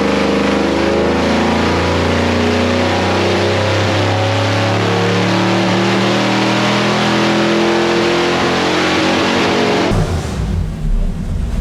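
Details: Big block Chevy 489 V8 on dyno, after reshaping plug boot contacts on front passenger-side cylinder: pulls hard, then note stutters and breaks up near the top; high-rpm misfire, cause suspected, not confirmed.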